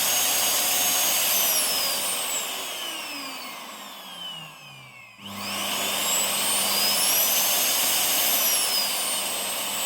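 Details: Rowenta Silence Force Compact vacuum after replacing the original backfiring motor with an RS-RT 35 30 motor: a high, smooth whine winds down to a stop, then spins straight back up to a steady, clean pitch; motor runs normally.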